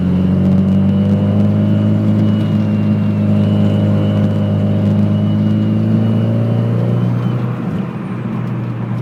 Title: Whining noise boost SR20